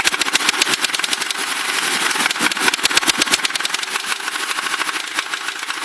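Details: Ford Crown Victoria at idle: fast, sharp, regular ticking knocks. The noise appeared recently despite good maintenance, and the owner suspects rod knock; the source is unconfirmed.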